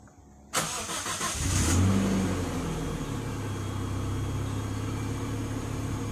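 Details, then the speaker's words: Kembara engine after reassembly, idling around 880–900 rpm but losing power in gear; owner suspects misfire or low timing after throttle body service and bad plug cables. Cranks, catches, then lumpy uneven idle. "Pressure sensor signal, throttle position sensor signal. Engine tiada power, sama dia macam misfire lah."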